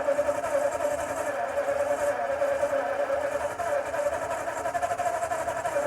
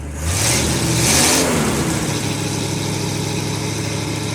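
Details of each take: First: 1952 Ford F-1, first start in 28 years, rebuilt carb, PerTronix ignition, new plugs, timing being adjusted: steady starter cranking about three beats a second, turns over but never catches; out of gasoline, no start. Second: 1952 Ford F-1, first start in 28 years, rebuilt carb, PerTronix ignition, new plugs, after adding gas and using less choke: catches with a quick rev then settles to a steady, even idle with no stumble; normal idle.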